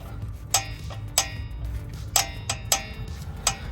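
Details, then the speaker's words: Volkswagen rear brakes: sharp, irregular metallic clacks from loose pads knocking in the caliper, worse over potholes, because the anti-rattle clips are missing; fix is installing clips and replacing scored discs. "aquí podemos ver este ruido que hace mucho ruido las balatas andan sueltas aquí deben traer un ajuste pero no lo trae"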